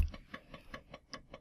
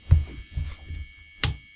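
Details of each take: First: Floppy drive stepper driven by microcontroller step/direction signals: light crisp evenly spaced ticks about five per second, each step clean and identical, stepping working normally. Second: Floppy drive stepper motor driven by code at about 1000 microsecond step delay: clicks, silence, then a steady high buzzing drone holding one pitch; tone changed after working at the start, stepper suspected stuck at one end (direction), not confirmed.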